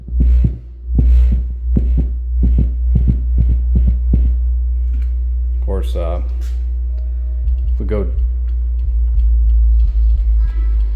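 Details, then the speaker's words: Polk Audio PSW10 subwoofer class-D plate amplifier fed a 60 Hz signal at 500 mV peak-to-peak. A steady bass tone is broken by irregular crackles and pops as the volume potentiometer is turned up and down. "you can hear that crackling right there um me turning the volume pop up uh pot up and down"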